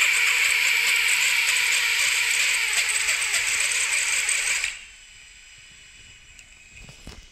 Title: Lumenier Lux. Gyro noise/vibration issue.